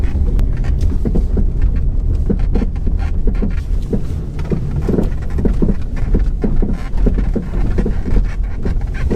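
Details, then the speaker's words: Car driven slowly over bumps and ruts in a parking lot: loud, irregular knocking clunks from the front end, sounding as if the wheels are falling off, traced to a sway bar end link. "we're gonna go for a quick drive over bumps and ruts this car sounds like the wheels are falling off"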